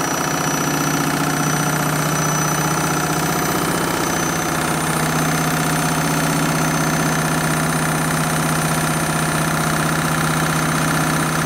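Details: Candy Mini Load washing machine on the Rapid 30 programme, final spin at roughly 1000–1200 rpm: loud, steady high-speed whirring roar with constant hum and rattle; noisy spin, cause unclear.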